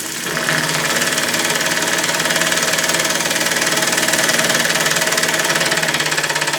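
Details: Homemade single-acting oscillating steam engine, propane-fired boiler, pressure rising toward 10 lb; fast steady chuffing at about four beats a second with hissy spitting on top; normal running on steam.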